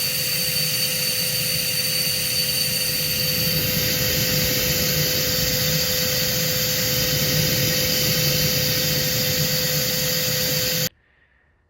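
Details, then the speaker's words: Husqvarna DE120 vacuum with lid and HEPA filters off: steady high-pitched single-tone motor whine then sudden cutoff; only one of the two motors spins, the other has failed and needs replacing. "You can see that that one is spinning and this one is not."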